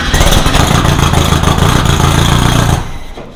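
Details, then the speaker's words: Rebuilt VW 1600 in a Baja Bug, first start after two years apart, ignition fuse raised to 5 A: catches, runs rough under three seconds, then quits; all four exhausts fired briefly. Owner suspects idle too low or over-choking. "So on that one, it did actually start to fire up. I just quickly felt the exhaust on all 4, so all 4 were firing for that short little spurt."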